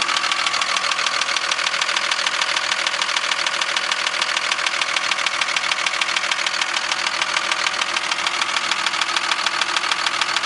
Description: This is the noise from my 02 Dodge Cummins Diesel. It has a wierd knocking sound in it.